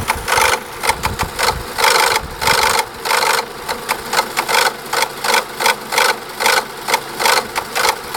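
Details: Renault Laguna II 1.8 16V, engine F4P 770 (BG0B), at idle: sharp, even metallic tapping two to three times a second from a faulty cam dephaser. Cam phaser tapping at idle.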